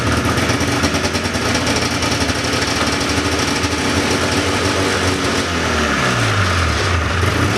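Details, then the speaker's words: 1979 John Deere Cyclone 340 two-stroke snowmobile, probably bad fuel, on choke: rough uneven clatter hunting and sagging; fuel pump works but pulls little, owner suspects not enough fuel or dirty carb idle circuit. "well she was definitely running on more than starting fluid that time I was pulling fuel from the tank though it didn't look like I was pulling a lot so the fuel pump is definitely working"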